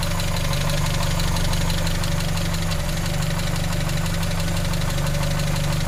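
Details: 1939 7C engine: steady low idle with a light, regular tick about four per second on top; faulty valve lifter (tappet).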